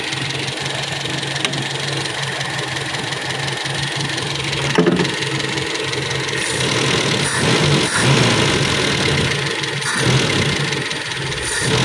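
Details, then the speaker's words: Toyota Kijang Super carbureted engine after overhaul (stuck tappet and combustion-chamber leak fixed), carb still needing work: steady even idle, no knocking or miss through background clatter; idle now smooth and even, healthy. "PR lagi buat si karbu ini kan udah bagus jadi bisa langsam dan rata"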